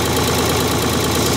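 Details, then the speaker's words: Ford 3000 three-cylinder diesel tractor, started after wiring a new universal ignition switch, fuel on, PTO off, transmission in neutral: even, steady diesel chatter at idle with regular firing beat, no misses or knocks; normal idle. "Fuel is on. PTO is off. Transmission is neutral. Let's crank it. Like a clock. Beautiful."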